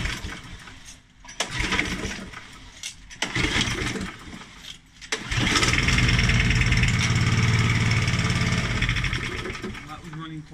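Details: Challenge Xtreme XSS40A lawn mower that is not priming, after its oil was topped up from the minimum mark: a few pulls, then it catches, runs a few seconds, sags and dies. The owner suspects the 2-stroke or fuel stabiliser in the fuel; the cause is unconfirmed.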